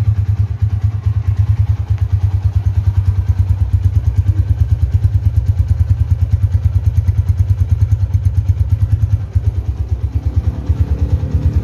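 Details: 2011 Tiger Revolution (Tirev) limited edition, 10,000 km, revved: crisp, even revving with a steady exhaust beat rising and falling cleanly on the throttle; aggressive, healthy, responsive engine.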